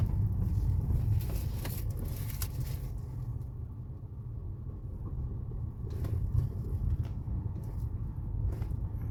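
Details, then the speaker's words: Ford Fusion driving with occasional dull clunks from the front suspension, loud inside the car, straight or steering; other shops condemned the steering rack; stabilizer bar and bushings replaced, noise improved but persists. "é muito mais alto e que em percurso faz um barulho muito grande dentro do carro"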